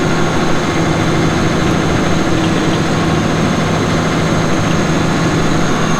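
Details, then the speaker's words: 2006 Caterpillar D4G XL dozer, 87 hp pre-emissions diesel with pre-lube system, 13,067 hours: steady, even diesel idle with a deep uniform rumble and no knocks, misses or odd noises; engine running healthy. "Starts up and runs really good. You'll hear that here in a little bit."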